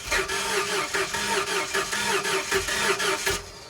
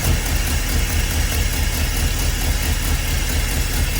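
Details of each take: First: 1977 school bus with big block Ford swap, new PCM installed: starter cranks with even chug about four beats a second, fuel pressure present, but never fires. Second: 1977 school bus with a swapped-in big-block Ford 400, first start after timing was advanced from a very low idle: steady, even low rumble with no knocks or misses; healthy V8 idle.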